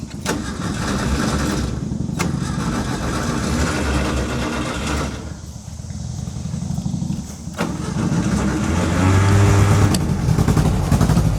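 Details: 1960s VW dune buggy with air-cooled flat-four, revived after ten-plus years sitting, restarted by the key: it catches straight away and settles into a steady, even low chug with no knocks or stumbles.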